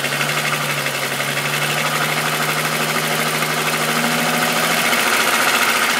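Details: VW Golf VR6 2.9, 103,000 km, idle: a loud, busy metallic rasp with uneven ticking about twice a second, apparently from the front. The chain-like rub worsened after the upper hydraulic tensioner screw was replaced. Rubbing suspected, cause unconfirmed.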